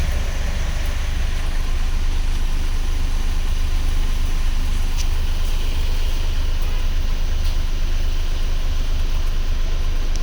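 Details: Mahindra Bolero Power Plus BS6 diesel that had a check light and a DEF fault no-start warning, caused by a corroded fuse, started on jumper cables after the fix. It gives a deep, even idle with no knocks or misses.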